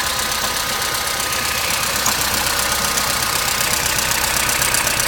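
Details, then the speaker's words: Opel Astra G 1.4 16-valve on a morning cold start: busy idle with a fast, fairly regular rattle, about two or three per second, seemingly from somewhere at the back; it runs more or less but rattles again, which is new, cause unknown. "Шум откуда-то сзади. Вроде работает более-менее, но все равно тарахтит. Раньше такого не было."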